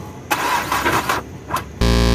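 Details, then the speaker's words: Towed-in Nissan Sunny diesel with seized engine, cracked crank and block, no engine oil, battery charged: single short loud buzzing starter crank about half a second then stops without turning over; starter engages only halfway. "Finally आपको दिखाया गाड़ी में जो है half self ले रहा है बीच में रुक जा रहा है फिर हाफ सेल्फ ले रहा है"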